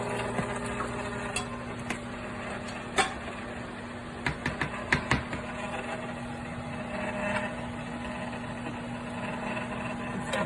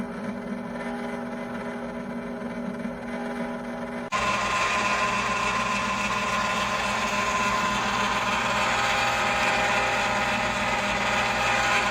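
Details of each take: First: Cuisinart frozen yogurt and ice cream maker churning a thickening chocolate mix: steady, even motor hum with light clicks from the paddle; normal running, owner calls it a bit loud but not bad. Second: Cuisinart ice cream maker churning a very thick chocolate mix: loud, steady motor drone with a busy upper hum and no knocking; loud motor noise, owner is considering returning it.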